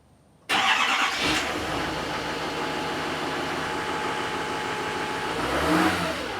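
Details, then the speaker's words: GMC Duramax 2500 diesel pickup, stock exhaust before tune, cold start and a couple of revs: fires straight into even clattering idle and picks up cleanly on a short rev; normal healthy diesel. "we're going to give it a cold start and go to give it a couple of revs so start the truck up so we can hear the sound"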